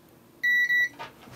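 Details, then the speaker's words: Board under test with a multimeter continuity check, capacitor linked to the M92T36 chip and the P13 IC: two clean high-pitched beeps in a quiet room, the capacitor is shorted to ground. "let's turn the board over and what we should be able to see is that this cat is also shorted which as you can hear it is"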